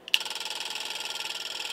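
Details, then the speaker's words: Lingenfelter NCC-001 nitrous controller running variable duty cycle up to 100% and back: rapid, even light metallic solenoid clicking about fifteen a second, no engine, stopping when solenoids lock on at 100%; normal pulsing. "so now what we're doing is a variable duty cycle so we're going up up to 100% and back down again when they go to 100% the solenoids obviously lock on and you don't hear them clicking anymore"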